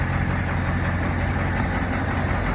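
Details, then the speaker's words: Fire truck Caterpillar 3208 turbo diesel, sat almost a year, just started on new batteries with alternator disconnected (alternator blamed for wiring short); steady even low rumble at idle, no knocks or misses; normal idle. "Fire right up though, it's been sitting for almost a year. Time to top these caterpillars."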